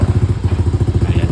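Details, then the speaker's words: Motorcycle engine running at idle after repair, fast regular low puffing about fourteen beats a second with a chuffing edge; slight exhaust leak because the exhaust pipe header is held by only one bolt, one stud bolt missing. "Umaandar na yun. Medyo sungaw lang, no? Yung exhaust pipe kasi isang bolt lang yung meron. Dahil kasi wala yung isang stud bolt."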